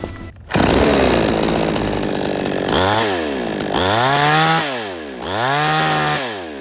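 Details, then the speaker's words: Tomitsu chainsaw, low-speed carburetor screw backed out: revs up in repeated blips without bogging or stalling but tops out early each time; high-speed mixture too rich, the High screw is adjusted next. "ครับผมเมื่อกี้เราเร่งแล้วมันไม่วอดแล้วครับมันไม่ดับแล้วแต่ว่ามันยังเร่งไม่สุด"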